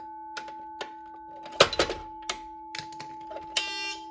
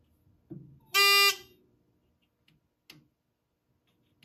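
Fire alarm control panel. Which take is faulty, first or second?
second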